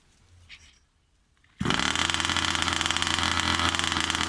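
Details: New Rovan 36cc double-ring two-stroke in a King Motor Baja 5B, head gasket removed for about 0.2 mm squish, briefly warmed then cooled: catches and settles into a busy, even, crackly idle with a steady buzz; normal idle.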